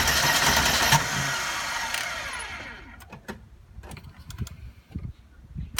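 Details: 1992 Mercedes 300E 2.6 (M103 engine) won't start: the starter spins about two seconds without firing, then clicks into silence; the second attempt is made with the accelerator pressed. Crank, no start.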